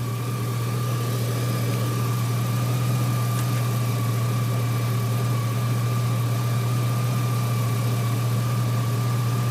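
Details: 2003 GMC Sierra SLE, 4.8L V8, idling after a junkyard remanufactured 105 A alternator swap; steady low idle with a faint constant accessory whine, no misses or knocks; 14.2 V at alternator, charging good; normal idle.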